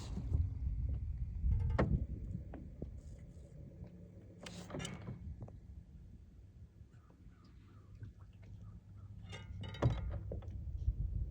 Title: Kraken making a knocking sound when engaging prop